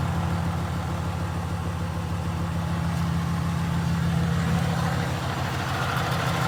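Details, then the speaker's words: 2015 Ram 2500 6.7 Cummins, G56 six-speed manual, 76,387 miles: heavy diesel idle with steady low chatter about three or four beats a second, from the clutch, especially with clutch pushed in; clutch rattle at idle. "you can hear that rattling from the building this clutch especially when you push the clutch"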